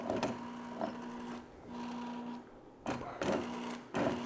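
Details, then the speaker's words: 1982-84 Sportster Hitachi generator motored on the bench at about 50 volts, drawing 2 to 10 amps: it whirs in stuttering, uneven bursts instead of spinning smoothly, rough running caused by a corroded brush holder, before the repair. "see but it's not smooth it sounds rough"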